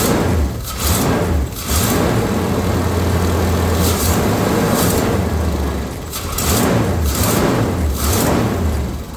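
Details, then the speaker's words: 454 big block V8 after tune-up with new plugs, cap and rotor (old cap badly burnt), started with just the key: deep steady rumble swelling smoothly with throttle blips and dropping back to even idle; healthy. "That sounds pretty good there, guys. I can't tell you how happy I am to have that cap and [Music] motor."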